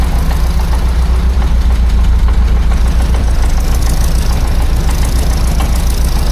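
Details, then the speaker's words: 1976 BMW 2002 (E10) M10 petrol engine with new Weber-style carburetor idling, deep slightly uneven rumble with faint puffing from a small exhaust leak at a joint not yet fully tightened. "Yeah, it's got a little exhaust leak right there."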